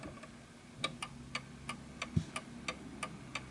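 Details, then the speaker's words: Antique 1920s Napoleon-hat 8-day chiming mantel clock, freshly wound, pendulum just adjusted into beat: crisp, evenly spaced tick-tock about three per second with no limp, so the clock is in beat and running healthy. "So as you can hear, the tick and the tock is evenly spaced. Tick tock, perfect."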